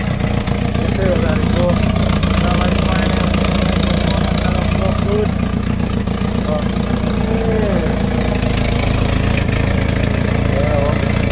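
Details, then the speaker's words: Houseboat inboard engine after overheating repairs, idling: loud, rough idle with a raw puffing exhaust note over steady drone, running a bit low and blowing out the side; exhaust leak, likely a blown exhaust bellows. "It's running. It's running a little bit low. It's blowing out the side."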